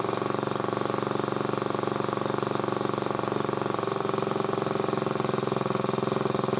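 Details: Single-cylinder motor-cultivator, which knocked and stalled in autumn and started poorly, runs after valve clearances were checked (intake 0.20, exhaust 0.15): steady, even putter at constant speed with no knocking or tapping; normal running.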